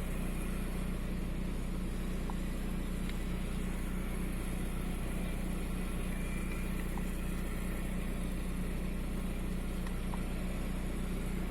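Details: VW 1.9 TDI AXR diesel idling and shaking with a slightly uneven, lumpy beat and faint stumbles; fault code 16688/P0304 intermittent cylinder 4 misfire, cylinder 4 deviation 2.99 mg.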